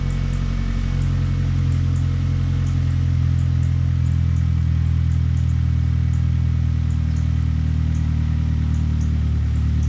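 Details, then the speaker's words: 2000 Ford Focus ZTS with a replacement engine swapped in from a van, first start of the day but not fully cold: steady, even low idle rumble with no knocks or misses; slight squeak the owner suspects is the alternator. "A little on the squeaky side, but sounds like an alternator. No biggie."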